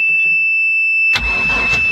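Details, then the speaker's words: 1999 Bayliner Capri, MerCruiser 4.3L, earlier no crank from bad relay solenoid, after swapping in another solenoid: buzzer tone then starter spins the engine evenly; normal cranking restored. "There it is. Yep. So now I can go turn on some water, see if this thing will fire up."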